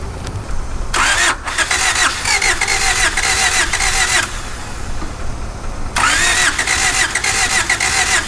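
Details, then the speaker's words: 1991 Honda CRX Si barn find, first start after sitting 10+ years seized: cranks, catches, runs ragged and lumpy on two cylinders; plugs show spark at the cap, so two stuck injectors are suspected. "It's running on two cylinders. That's kind of cheats, but um it's possible we have two stuck injectors because this spark plug has fire and so does this one."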